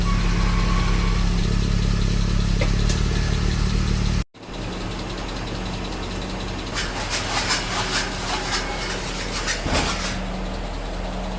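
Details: 1995 Mercedes-Benz S500 W140 V8 cranks and idles with a light quick top-end ticking from the left (driver's) side, traced to a broken plastic cam oil tube; car sat unused for months, fixed by replacing cam oil tube and valve cover gasket.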